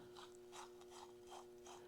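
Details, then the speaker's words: Farmall Super M tractor clutch throwout bearing turned by hand during engine rebuild gives rough, gritty rasping strokes, apparently full of grit; replacement likely being ordered. "This throwout bearing doesn't sound the greatest. I don't know if you can hear that. Sounds like there's a lot of grit in there."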